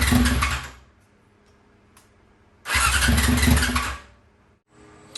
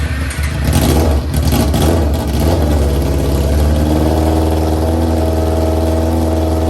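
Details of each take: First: 2001 Yamaha YZF R6, first start attempt in three years after a carburetor rebuild and full jet change: two roughly one-second bursts of cranking and sputtering that fail to settle into idle. Finding: hard starting caused by bad, stale gas. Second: 2001 Yamaha YZF-R6 carbureted motorcycle, first start in three years after carb rebuild, new jets and flushing out bad gas: catches with rough revs, then settles into a steady even idle.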